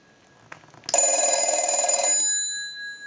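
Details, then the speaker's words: Stromberg Carlson 1198 telephone with 1561 bell box, bells adjusted during repair; analyzer ring cycle with bell switch turned off and on: crisp, fast, even ring about a second with clean ring-down, normal bell ringing. "do that one more time I'll let it ring in and we'll turn it off every time you see that red light that's a ring cycle and turn it back on"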